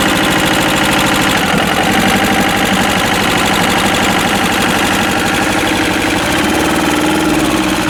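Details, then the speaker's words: Westwood lawn tractor's Ruggerini twin-cylinder air-cooled vertical-shaft diesel, previously hydrolocked, running after repair and new starter: even, steady clatter with constant beat, no misses or knocks; normal running. "But hopefully now it's just a perfectly working diesel engine. As I said, they're so economical. They really are good."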